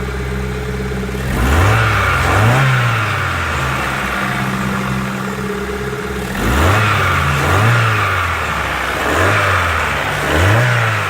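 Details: Rover 75 after misfire fix by regapping spark plugs to 0.50 mm instead of 1 mm: engine blips cleanly up and down twice, pitch rising and falling evenly with no stumble or popping; smooth revving.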